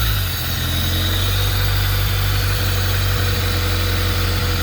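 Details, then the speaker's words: 1991 Honda Civic, junkyard engine, with code 43, fuel cut-out and an exhaust broken off at the weld: steady low idle drone broken by small irregular stumbles, a lumpy misfire. Cause unconfirmed. "i heard the exhaust break off the weld a minute ago there's definitely some kind of misfire"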